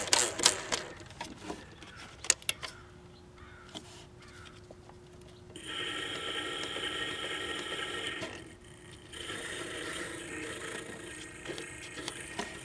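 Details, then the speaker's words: Magnavox Consolette stereo console record player, heavily coated in cigarette residue: clicks, then a thin steady hum, then a dry, hissy scraping whir as it spins; the noise comes from the dry, unlubricated idler mechanism, motor sounds fine. "Okay, this is really dry. This sound is where the sound is coming from, though."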